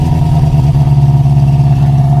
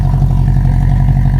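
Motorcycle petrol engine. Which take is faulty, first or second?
first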